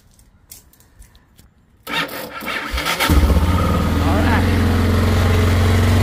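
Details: 1990 Yamaha XT600 on a 20 V DeWalt tool battery wired up as its starting battery: starter cranks about a second, engine catches and settles to steady even idle, no knocks or misses.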